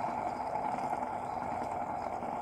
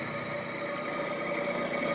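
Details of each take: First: Tree milling machine head during teardown, spindle bearing spun by hand after removal: steady gritty, grainy whirring from a worn bearing, to be pressed out and replaced. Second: Tree Tool and Die Works Tree milling machine head after teardown and rebuild with new bearings and belts: smooth, steady spindle hum with even tone, no knocking, rumble or bearing growl; taper runout measured about 0.00015–0.0002 in.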